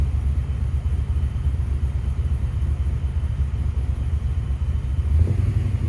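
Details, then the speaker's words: 1994 Impala with Vortec supercharger, no-start traced to intermittent fuel pump: now running with good fuel pressure, a low smooth rumble holding steady with no misses, ticks or knocks; quiet normal idle. "Good fuel pressure, everything is smooth, quiet."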